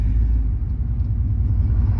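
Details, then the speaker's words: Van exhaust after a tape-and-putty exhaust repair blew out while driving; deep, loud, even unmuffled rumble at startup idle, louder than when partially blown; exhaust leak. "I think my exhaust is officially blown out I wanted a Hot Rod Van buy I got a Hot Rod Van listen to that puppy"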